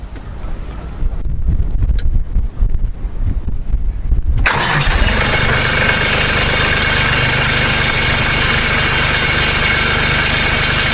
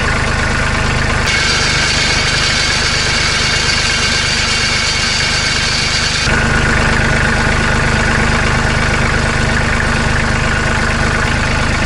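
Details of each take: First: Kubota B2650 compact tractor diesel cranks and settles to idle with a tinny metallic buzz on the exhaust beat; muffler heat shield (guard) rattling against muffler, recorded without the fix clamp fitted. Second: Kubota B2650 compact tractor diesel idling after fixing a muffler rattle with a hose clamp: even, steady idle with a regular low beat and no rattle or buzz; quieter, healthy idle.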